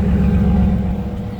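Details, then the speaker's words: 1995 Chevrolet S10 Blazer cold idle at around 20°F in Ohio winter: steady, even low rumble, no knocks, ticks or exhaust leaks; cold smoke from the rear, engine sounds healthy. "now probably looks terrible on camera it is smoking currently well that's because it is 20 some degrees right now so this thing needs to warm up"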